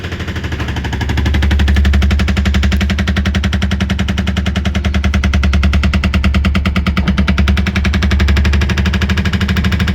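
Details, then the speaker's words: Voltas Beko top-load fully automatic washing machine, model DTA 60 UGC: fast, hard rattling knocks over a low motor drone from many coins trapped inside, striking and marking the drum; spinning was fine once they were removed. "देख सकते हैं इसी की वजह से आवाज कर रहा था बहुत ज्यादा कोइन घुसा हुआ है इसके अंदर"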